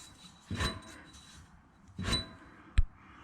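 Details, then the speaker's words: 2008 Shelby GT500KR Ford 8.8 rear end, driveshaft pulled, turned slowly by hand with camera close: gritty rasping growl and sharp click; worn differential carrier bearing with a deep piece missing. "I hope that's coming across how rough that is."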